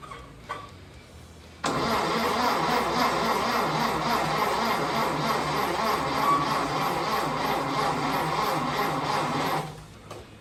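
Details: 1930 Ford Model A pickup after a replacement distributor, new condenser and a machined warped cylinder head, with a leaking Tillotson carburetor: quiet, then fires under two seconds, runs a fast, fairly even four-cylinder beat about eight seconds and dies.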